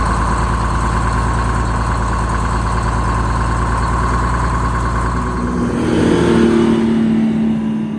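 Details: Rebuilt bus diesel after fuel-system fix, cold start (20°F overnight, about 42°F morning) with no ether or block warmer; deep, even clatter settling to steady idle, then brief rev rise; smooth, no misfire or knock.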